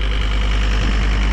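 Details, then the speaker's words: John Deere 326D skid steer, back running after a broken engine crank repair at a machine shop and over a year of sitting: deep, even diesel idle with no knocks or irregular beats, sounding good. "so here it is moving sounding pretty good"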